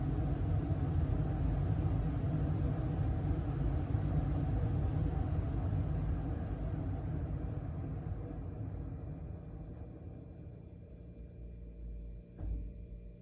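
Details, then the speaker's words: 2023 York HVAC system indoor furnace blower running in fan-only mode (not cooling), after evaporator coil replacement fixed earlier freeze-up; smooth, steady low airflow rumble, no rattles, knocks or squeal, easing off toward the end. Normal blower operation. "uh here in a minute I'll start it back up in cooling mode so you all can hear what the blower sounds like running on high for cooling mode"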